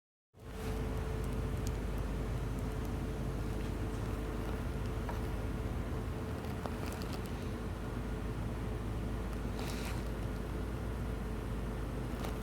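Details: 2009 Audi A4 with P2015 code, lean fuel trim codes and a vacuum leak: deep, uneven rumble with lumpy, stumbling pulses; massive misfire at idle.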